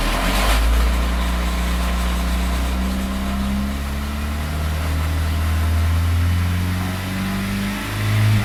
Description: So this is what happens when I rev the engine between 1k and 3k rpms. Noise seems to go away almost completely after about 2k rpms.